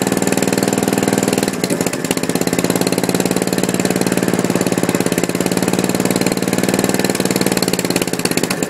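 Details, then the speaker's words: Gravely 450 tractor with a Kohler K241 single on its first start, after rewiring and a new coil, with the fuel pump leaking gas. The engine runs fast with a sharp, even tapping on every firing stroke. Owner dislikes the loud rod sound, cause unconfirmed. "but it does run the rod sounds pretty loud which i don't really like that sound"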